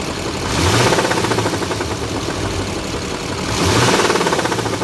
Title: 2006 duramax engine knock